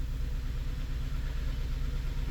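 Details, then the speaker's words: 2006 Honda Element K24 with P0301/cylinder misfire code and flashing check engine light: uneven, stumbling idle with dropped beats; misfire confirmed on scanner and traced to a bad fuel injector by injector swap. "Very rare, but man, we do have a misfire on a bad injector."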